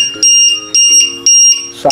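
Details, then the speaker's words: LiPo battery voltage checker on an RC airplane, alarm threshold set to about 3.3 V: sharp, high-pitched beeps repeating about twice a second. This low-voltage alarm means the battery is low and the plane must land now. "যে সিস্টেমটা এখন এই switch চাপলে একবার plane যখন এই আওয়াজটা আসবে তখন কিন্তু প্লেন নামিয়ে নিতে হবে,"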